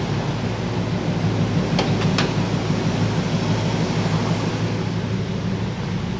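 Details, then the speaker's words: 1960 Pontiac Bonneville V8 with AFB carb, dwell a little high at about 30 degrees: low steady slow idle with even firing, no misses or knocks; healthy, normal. "we got the uh dwell a little bit high but it was right at 30. we can play with that again later"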